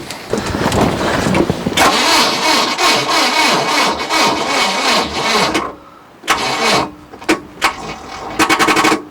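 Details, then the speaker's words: 1968 Starcraft Islander, Mercruiser 120 hp inboard-outboard, first start attempt after storage: sluggish starter, about three laboured compression beats a second, short cranking bursts; battery too weak. "Alright folks, as you saw, the battery's not very strong at all."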